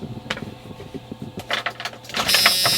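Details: Newly installed Holley EFI fuel system, first key-on after fitting the feed and return lines. A steady, high-pitched electric fuel pump hum priming normally, reaching 60 psi on a fixed 59.5 psi regulator with no fuel leaks.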